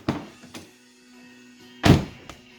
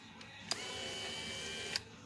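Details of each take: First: Infiniti G35 power window after motor replacement and window reset: door thunks, then a short steady motor hum as the glass runs up smoothly and stops; window working normally. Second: Infiniti G35 window motor, disconnected from the regulator and bench-tested. A click, about a second of steady high whir, then a click. It spins freely unloaded, but the owner suspects an internal limit switch (anti-clip) skips or is broken under load. Window went down by itself, then died.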